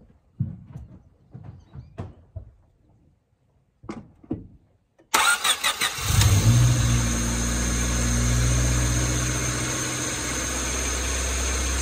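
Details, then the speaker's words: Honda D16Y7 after swapping to a D16Y8 intake manifold with plugged air-injection holes, coolant topped up: short crank then a fast steady idle around 2500 rpm; throttle body gasket and air-injection holes suspected. "The issue I'm having is it is idling super high, like 2500 RPM. So we gotta try and figure that out."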